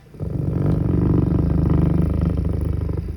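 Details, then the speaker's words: Industrial servo motor with a Sick Stegmann Hiperface encoder, bench-tested at very low speed: a fast buzzing chatter of three or four pulses a second as the drive cannot read the position angle. The faulty feedback encoder causes it; miswired motor phases can also. "okay this is the chattering as described it sees the drive cannot figure out the position angle of the feedback device so it is just basically going back and forth it cannot find home"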